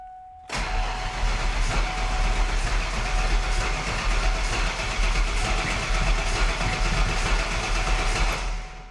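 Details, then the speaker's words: Driftfox project car with a Sniper fuel system and an old fuel pump that had briefly primed three times, first start attempt after wiring the pump; steady cranking drone for about eight seconds with no catch and no pump hum, the fuel pump isn't running. "Stop it. I don't hear the fuel pump kicking. I don't either."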